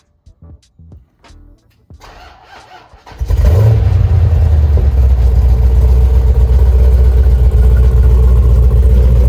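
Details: Copart stolen-recovery Jeep SRT Hemi with apparent custom exhaust, heard from the rear at the exhaust tips on start: catches after a few seconds of cranking, settles into a deep loud steady rumble, slightly uneven, running rich; rough running after cold start.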